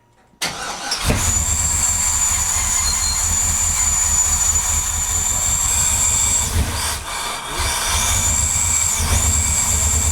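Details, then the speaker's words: 1957 Chevy with a swapped LS engine, new fuel setup still leaking from the top: fires and runs but dips and falters when throttle is applied, over a faint high whistle; a dead spot on throttle, a stumble. "it's still not running right because the second I tried to give a throttle is a complete dead spot"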